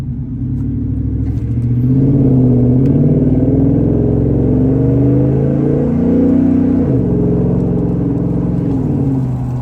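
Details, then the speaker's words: Ford F150 5.0 Coyote V8 with new Flowmaster 3-inch resonator-delete exhaust and 4-inch tip, floored. Deep rumble climbing through the revs under full throttle, smooth and even with no rattles or misses; normal, healthy exhaust under hard acceleration. "I know I've said goodbye and everything, but I just got in the car and I just had to floor it to get across an intersection a minute ago. You should hear this thing."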